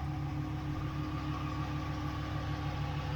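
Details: Ram 1500 5.7 Hemi V8 idling just after DIY oil change (6 quarts), heard from under the truck while checking for leaks; steady, smooth low burble, no misses, ticks or knocks; healthy idle, no leaks.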